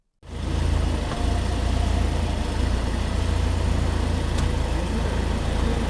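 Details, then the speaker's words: BMW 5 Series in dealership showroom, stationary, shifting through gears: steady, even idle with low smooth hum and only a light shift sound, no knock or buzz; normal gear engagement, unlike new cars with suspected driveshaft noise. "它这个会比较轻一点。正常的一个挂档的声音，如果说真的是传动轴的问题的话，它是有敲击声一样的感觉的，对。"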